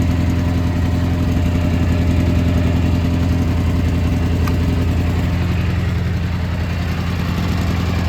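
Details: Gravely G-16 tractor, late 80s–90s, unrun for a few years, now running on its own fuel: low even thumping twin-cylinder idle, no misses or knocks; runs and drives pretty well, smokes a little.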